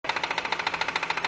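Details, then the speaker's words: BMW at about 70,000 km, engine running: loud, sharp metallic knock about ten times a second, louder than a tractor. The crankshaft pulley's built-in damper has failed and has play; fix is replacing the pulley and checking the belt and tensioner. "这宝马设计有个小通病，我觉得它那个曲轴皮带梁上面设计了个缓冲的，大概在6到7万公里左右就开始损坏了。损坏之后它就有间隙就会敲击声。"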